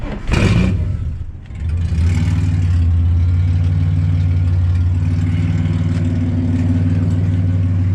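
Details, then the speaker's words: Ford AU Falcon drift car, after its locked-up gearbox was replaced, starting after an earlier jump start for a dead battery, still warming up: a brief crank, then it catches at once and runs steadily, with a slight exhaust rattle. "Car started nicely. Had to jump start it before because the battery was dead."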